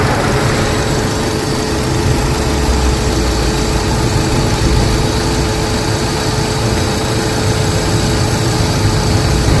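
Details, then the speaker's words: Suzuki Swift 4-cylinder, driving after repairing a short to ground that flooded one cylinder with fuel and caused constant misfire: small petrol engine runs steadily with an even low hum, no stumbles or hesitation. "I am driving the vehicle in good running conditions without hesitation"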